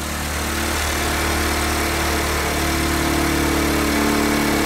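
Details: Car that sometimes failed to start, after a tape-based fix: takes a little time, then starts and settles into an even low idle with a steady beat, no stumbling or knocking; normal idle.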